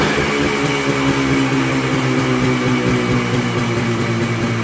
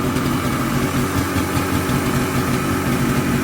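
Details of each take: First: Polaris Colt two-stroke snowmobile idling on its own after carb work (it would not idle before); steady, slightly high idle with an even crackling beat and no stumbling, running much better than before. Choke cable broke during the work. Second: Polaris Colt two-stroke after choke work (choke cable broke), now idling on its own where it wouldn't before; steady fast idle with even crackle, sitting a little high, revving out much better than before: high idle speed.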